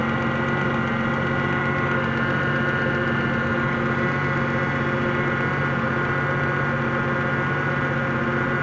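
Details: 2001 Ford Mustang 3.8L V6 cold at idle, faint uneven tapping about four per second that goes away when warm; power steering also noisy despite fluid; engine knock at idle, cause unclear.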